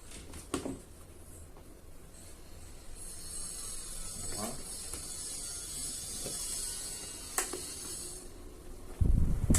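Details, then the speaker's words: Arno Turbo Silence Force 40cm fan after repair of shaft end play and a screw set too deep that hit the blade; running strong with a low even whoosh, no rubbing or knocking; noise gone. "Bem forte. Vendo que saiu todo o barulho."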